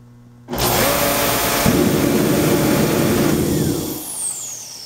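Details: Reddy 115 torpedo heater with its cover off during no-start troubleshooting: the motor spins up quickly to a steady rushing fan roar and runs evenly; normal startup.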